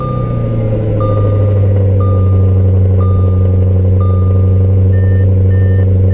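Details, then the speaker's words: 2015 Audi RS5 V8 after replacing failed PCV valves with billet aluminum units and 90-degree AN fittings: strong steady idle, no PCV whistle under vacuum, only a chime beeping once a second; normal idle. "Sounds good. I don't hear any whistling whatsoever."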